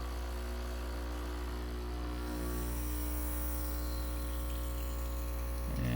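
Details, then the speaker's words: Breville Bambino standard espresso machine, button held in then released while pulling a shot: a steady low buzzing hum that firms up slightly as the shot runs, with no rattling or straining, the pump working normally. "so holding it in you can hear it getting to work and then let it"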